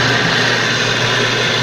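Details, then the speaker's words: Magic Chef Performa washer (same mechanism as Maytag Performa), noisy when starting to wash: steady, rough high-pitched whir with a buzzing edge; the drain pump bearing is damaged, wetted by water leaking from wear, and the pump must be replaced. "Bueno, amigos, ya detectamos la falla. El problema está en el valero de la bomba del agua. Ese es el detalle, es la falla que tiene."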